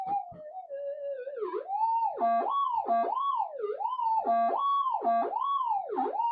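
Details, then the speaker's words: Minelab GPX metal detector, ground balanced, with a mono coil: a warbling tone dips and swings about three times a second as hot rock passes near the unshielded, solder-blobbed coil wires; a false signal. "so those windings in the coil even on this this it's not a GPZ it's a GPX still hot rock is interacting any we know wires"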